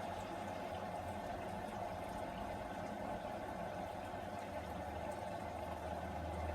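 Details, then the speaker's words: Beko WM85135LW washing machine sold as broken, tested on a 1300 spin program: quiet steady rush of water into the drum, no knocking or grinding; filling normally. "so the water's on we should hear it filling yeah and it is"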